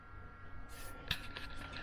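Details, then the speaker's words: Frigidaire mini beverage cooler (cheap Walmart unit): faint steady high hum under handling clicks; owner notes it makes a little noise; running normally, though he doubts it gets cold enough. "one thing I did notice if you listen you can hear the noise it does make a little bit of a"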